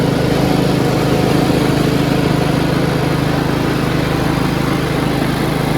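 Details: Yard Machines 38" riding mower, 13.5 HP Tecumseh, after fixing slow cranking and no-start: a steady single-cylinder thrum at a fast, even beat with no misses or stumbles. Smooth normal running.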